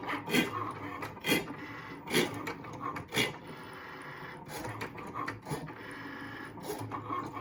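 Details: New Cricut Maker cutting machine, from first use: harsh rasping grind recurring roughly every second as the carriage travels, loudest when the blade is near the middle; something dragging in the carriage.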